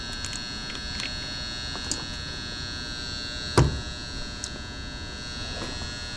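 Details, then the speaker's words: Gas furnace that works only intermittently: faint steady electrical hum with a single click; tech suspects the 240 V relay sending 24 V to the ECM blower motor, not the transformer; unconfirmed. "All right, that sounds, if that's a transformer, that's loud. Actually, I think it's that relay up there."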